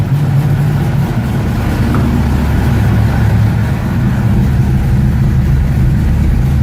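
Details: 1969 Ford Mustang V8, in neutral, first start in about six months: even, smooth burble with clean throttle pickup, no stumble or miss; starts and runs healthy.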